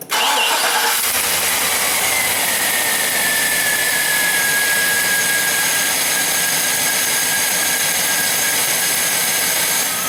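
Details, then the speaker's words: GMC 6.0 after a misaligned pulley causing belt squeal was found with a laser alignment tool and corrected: steady, even hiss and whir with no chirp or squeal. The belt drive is quiet enough that leaky exhaust manifolds are audible. "so quiet you can hear the leaky exhaust manifolds now"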